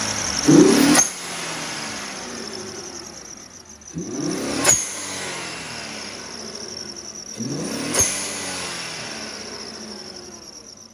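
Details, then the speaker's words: 2016 Infiniti Q50 Red Sport 400, warmed up, stock exhaust with catted downpipes and HKS blow-off valve: three quick throttle blips, each ending in a sharp airy whoosh of the blow-off valve; healthy revving. "So we'll give it a quick little rev since it's already warmed up. I just want to let y'all hear the HKS blow-off valve."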